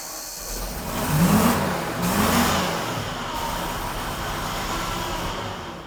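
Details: 1993 Ford F700 gas dump truck, long parked, first run after something poured into the cylinders: V8 running unevenly, revs surging and sagging; owner suspects it's missing, cause uncertain. Rough running.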